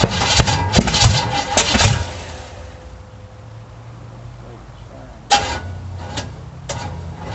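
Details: 350 V8 in a 1937 Dodge Brothers, first start: sharp irregular pops and bursts during rough starting attempts, then a lull, backfiring through the carburetor; timing unverified, battery going dead, cause unconfirmed.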